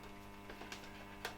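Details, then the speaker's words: Polish SMP-1 selenium battery charger (Eltron, c.1970) running in series with a bulb via a regulator: quiet, steady mains hum with a few light handling clicks, rectifier working normally, about 16.5V DC output, probably on the 12V setting. "I've turned on the regulator. You can hear the rectifier working."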